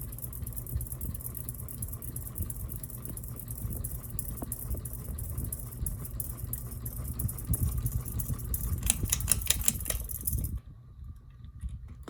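A ceiling fan hums low while a fast, uneven rattling clatter runs over it, then the fan goes quiet.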